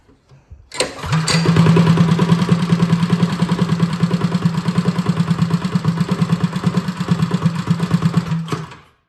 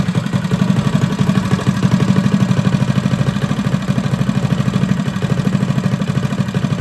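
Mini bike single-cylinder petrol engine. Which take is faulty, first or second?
first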